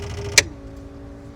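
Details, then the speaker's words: Sling TSI aircraft pre-start pump test: soft steady hum of the first electric fuel pump, then clicks as the other two pumps switch in and the hum shifts lower; all pumps running normally. "How soft that little pump is running? It's a lot quieter because it's not sitting right on the metal panel. Now you can hear the other 2 pumps."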